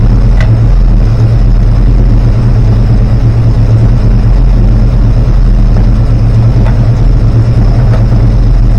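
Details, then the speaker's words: Rebuilt 360 V8: 750 rpm idle, about 7° advance, idle mixture screws half a turn out, vacuum about 10; deep loping idle with occasional sharp exhaust pops, suspected unburned fuel, cause not found. "okay so that's 750 RPM idle about 7° Advanced still banging and uh I'm about half a turnout on my uh idle mixture screws my vacuum is about 10 still getting the pop pop"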